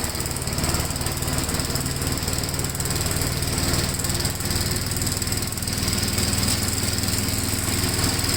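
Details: 1957 Gravely tractor during mowing test after air cleaner service; strong, steady single-cylinder thump at working speed, pulling evenly under load without misses or knocks; running well.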